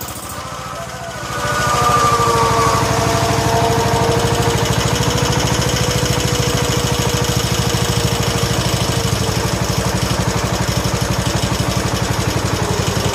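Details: 1969 John Deere 140 H1 on a new carburetor, cold start: the small single builds to a steady, even putter that holds speed without misses or knocks, quiet and smooth. Normal idle.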